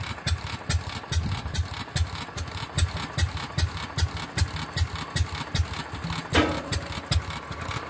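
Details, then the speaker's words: Fairbanks-Morse 208 oilfield engine on a pumping unit that needs rebalancing, restarted with a newly installed magneto after 36 hours down. Slow steady beat near 76 per minute with one loud metallic clang midway. New intermittent bang; no loose bolts or slop seen, cause unconfirmed. "that was new and I just caught that on video what was that noise"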